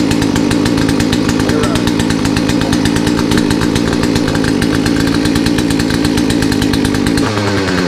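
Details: Poulan chainsaw after a Zama carburetor rebuild kit, new air filter and fuel filter: held at a high, buzzy, uneven pitch, then sags and stumbles. Owner suspects the carburetor setting was too low and plans to recheck.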